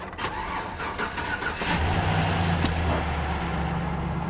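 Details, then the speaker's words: Car that sat at auction with a 4-volt battery, jump-started: it catches after a brief crank, runs a bit rattly and noisy at first, then quiets quickly to a steady idle; cause unknown. "there we go a little noisy but it quieted down pretty quick"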